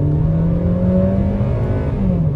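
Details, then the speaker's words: 2011 Hyundai i30 1.6 automatic, claimed 76,000 km, road test with full throttle from a full stop: the engine note climbs hard, then drops cleanly as the box upshifts with no flare or clunk; the automatic gearbox shifts normally. "переключила ещё раз переключила переключает отлично никаких вопросов к работе Коробки у нас нету"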